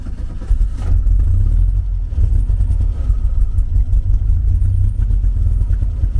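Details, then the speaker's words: 1974 VW Beetle, 1915cc engine on MaxxECU EFI with throttle bodies, after throttle-position voltages were recalibrated; catches quickly and settles into a steady, even run with light throttle blips, now sounding healthier; normal start and running. "now. All right, that sounded a lot healthier."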